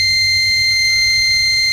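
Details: Microtek Super Power 912 12V inverter on mains: steady unbroken high beep around 2 kHz, never pausing; about 6 V holds the change-over relay coil.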